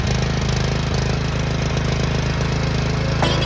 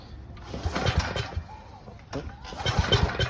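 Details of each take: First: 6500 W gas generator unstarted for 3 years, stale fuel drained, reassembled, started on choke: strong even drone with steady low hum for a few seconds before music covers it; normal running. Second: 20-plus-year-old gas generator after cleaning the breather: two recoil pulls spin the engine in quick bursts but it never fires; the fuel valve was shut and the choke was off.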